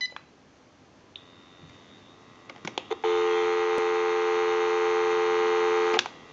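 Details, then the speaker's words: GE 6.0 cordless telephone (27909) after repair, on a real outside line through a switch box with the analyzer removed, before calling a time-and-temperature number: clicks, a short beep, then a clean steady dial tone for about three seconds; the line works normally. "we can call a time and temp number we'll go ahead and give you some dial tone"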